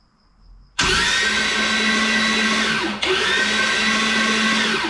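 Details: Junkyard Holden 253 V8, starter wired directly, first start attempt: even, high whirring from the starter with no firing beats, briefly stopped and restarted; cranks without ignition.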